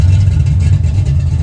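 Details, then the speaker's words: 1980 Camaro Z28 with freshly rebuilt big-block Chevy (Patriot heads, 1.8 rockers, Howard's hydraulic roller cam 601/612 lift), first start after six months: deep, steady lumpy V8 idle, no knocks or ticks; runs great, owner thinks maybe slightly rich, may need tuning. "running great. Listen to that thing. Might be a little rich. Might need to tune it a little more. Guys, the damn thing runs."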